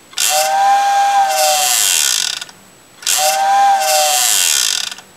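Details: Vintage Tyco steam locomotive whistle retrofitted with CD player can motor; two whistle blasts about two seconds each with buzzy rattle underneath from motor vibrating; whistle motor vibration noise.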